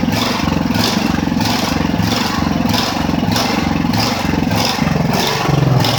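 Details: Ridgid generator with Honda GX390 petrol engine, first start in months after repairs: speed surges up and down about 1.5 times a second, never settling. Engine hunting, cause unconfirmed.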